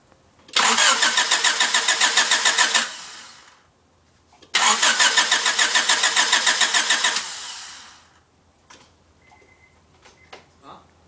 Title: Cranking but won't start